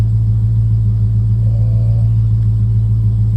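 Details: Dodge Challenger Scat Pack Shaker V8 warm-up idle just after oil change, oil pressure 57 PSI, oil temperature around 123–127°F: deep, steady, even rumble with no knocks or ticks. Normal idle.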